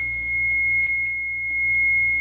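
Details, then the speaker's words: Fire alarm panel in full alarm just after a manual pull station, the only device on zone 1, is activated: steady piercing high-pitched piezo tone with no break while the strobe flashes, before acknowledge is pressed. "And you can hear the piezo flashing. So, zone 1 is activated."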